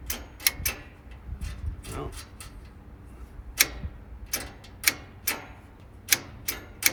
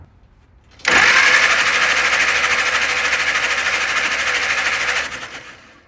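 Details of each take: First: 1948 Willys CJ2A Jeep that sat for decades, cranked on a 12 V battery with no coil hooked up: irregular sharp clicks and only a brief weak turn-over. A loose, suspect ground is the likely cause. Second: 1948 Willys CJ2A Jeep that sat for decades, cranked with spark plugs out after a loose ground was fixed: the starter spins the engine briskly and evenly, a smooth, steady whir for about four seconds with no dragging.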